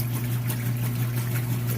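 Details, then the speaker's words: Used Kenmore top-load washer under test: steady low motor hum under even water sloshing during the agitation cycle, no knocks or grinding; normal agitation. "good job getting those clothes nice and clean so we'll let that move through"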